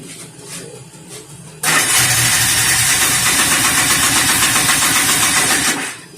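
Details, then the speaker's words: 1988 Polaris Trail Boss 250 R/ES two-stroke, long unused, cold start on gas with added 2-stroke oil: barks to life with a rapid crackly run, about four pops a second, and dies after four seconds on carb cleaner. "It's been a long time. Here's the Jeep finally started. We'll just run some carb cleaner."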